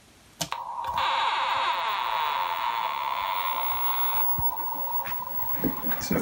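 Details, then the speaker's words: MACH 3 arcade game with Dexter laserdisc replacement board: steady electronic tilt error tone for about three seconds at startup because the slam switch is disconnected; the game hangs until the switch is grounded. "so the way you can tell that the slam switch is uh not working correctly is you get a strange sound on Startup uh you either get a kind of a looping kind of scratchy sound or you get a of an error type sound which uh it would normally make when someone kicks the"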